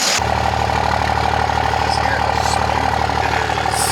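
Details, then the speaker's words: Third-gen Cummins diesel truck, about 1000hp, after fitting an O-ringed head, ARP 625 studs and coolant bypass, idling: steady, even diesel clatter with a smooth regular beat, no knocks or misses; healthy. "It sounds pretty good. Dude, it's happy. It's a happy truck. You can hear it in the back. It's just like a sewing"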